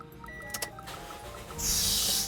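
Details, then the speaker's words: Toyota Yaris (Bakpao) started hastily, without waiting for the indicators and electrics to be ready: ignition clicks, then a short sharp fan-belt squeal. A worn belt would squeal longer; starting slowly avoids it. "Nah, pasti berbunyi cit kayak gitu ya. Tapi kalau misalnya kondisi fan bell sudah jelek, pasti ini bunyinya lama cit kayak gitu."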